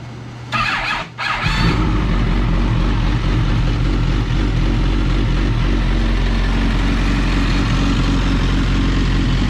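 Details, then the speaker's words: First start of a rebuilt 2006 Suzuki GSX-R1000 after wreck repairs and a newly mounted gas tank: short crank catches at once and settles into a strong, steady, even run with no misses or knocks. Normal running. "All right, this thing fires up pretty slick."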